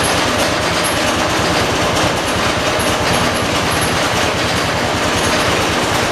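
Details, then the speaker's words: 1986 John Deere 216 lawn tractor, rebuilt engine, first cold start of day at about 50 degrees, around half throttle: loud choppy uneven chugging, no settled idle; owner suspects carburetor needs adjusting; rough running. "I think it needs the carburetor to be adjusted but I've looked around and I've been told it supposed to run like a so I just left it alone"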